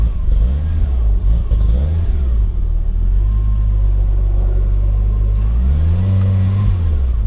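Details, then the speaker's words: Lexus IS300 with turbo 2JZ, first start after months down; fault was reversed cam sensor polarity: deep, uneven idle, throttle blips bog and surge before climbing; rough running and hesitation on tip-in, cause not confirmed. "oh she starts she's not sounding too great"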